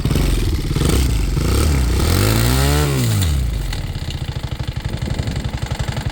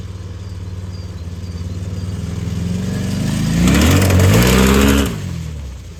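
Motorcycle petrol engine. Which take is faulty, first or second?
first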